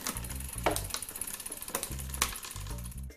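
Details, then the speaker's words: Mountain bike rear derailleur after adjustment and indexing: crisp single clicks one at a time as the chain steps across the cassette, each shift landing cleanly with no chatter or grinding. "so it's pretty much perfect shifting so we'll keep going and we'll check it all the way to the top of the block click each time"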